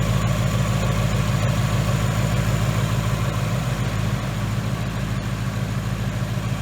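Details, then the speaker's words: 2018 Ford Mustang GT running after a new engine install with a Mishimoto radiator: deep, even V8 burble at a steady idle, firing smooth and regular with no ticks or knocks; normal idle, owner happy with the install. "but she sounds really good I am very very happy with this install alright guys the cost running it sounds awesome"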